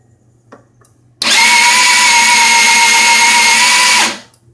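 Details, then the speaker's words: GY6 50cc scooter engine: steady starter whine about three seconds with no firing; air felt coming from the intake manifold, no thud or combustion at all. "I can feel air coming out of the intake manifold. It doesn't, there's no thud or any sort of explosion at all."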